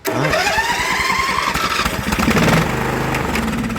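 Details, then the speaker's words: Briggs & Stratton Vanguard engine with carburettor fuel solenoid, choked: catches abruptly, runs unevenly with wavering pitch and won't keep running; owner suspects dirty, slightly leaking carburettor. "Yeah. I don't know. That's indication to me that the carburetor is dirty. Yeah, I'm pretty sure it's just a dirty carburetor."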